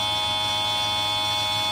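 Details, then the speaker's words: Tomos moped electric conversion, controller self-learn lead plugged in: steady high-pitched electrical buzz with faint low hum at top speed; owner says sounds weird but maybe just high speed, cause unclear. "yeah so that's just the high speed that does that i guess it's okay"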